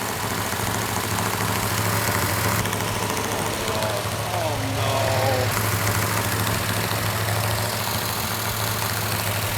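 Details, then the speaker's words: New 440 six-barrel V8 with a Comp Cams Mutha Thumper cam, rpm held up for cam break-in: steady, even raised speed with no ticking, knocking or rattling. Normal cam break-in run. "got a little bit noisy valve train which is normal on a new engine we're going to hold the rpm up so the can can break in"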